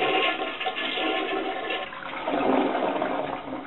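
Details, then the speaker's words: Pressure-assist toilet after replacing the flush cartridge and air valve gasket: one strong whooshing flush tails off evenly with no hiss or sputter afterwards; normal flush, repair successful. "Now I'll leave you to your privacy as you test out your fully functional pressurized toilet."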